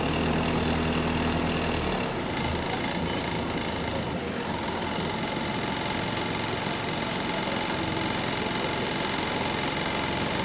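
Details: City bus SLN 36686 on route 181, steady diesel idle with a loose, uneven rattle of a few beats per second. Rattly idle; axle noises also developing.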